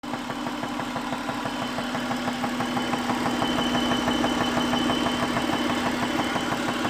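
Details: 2001 Acura at idle: light, fairly even tick about three per second over a steady idle; cause not yet pinned down.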